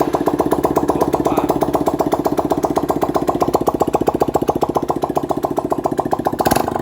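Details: Honda CG 160 single-cylinder, after engine opened and connecting rod (biela), cylinder kit and valve work to fix a terrible noise and hard starting: pops along at an even, quick beat, clean and free of knocks, healthy idle.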